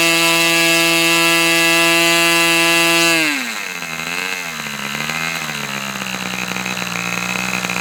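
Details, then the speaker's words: Fox twin-cylinder glow model engine, customer's, run after low-speed needle leaned about three clicks: high, steady buzzing run holds even, then throttles back smoothly to a lower, stable idle; running clean and strong, a good run. "Okay. So, there's a good run. What I want to do now Since things are going so well, I'm going to let this engine cool down once again."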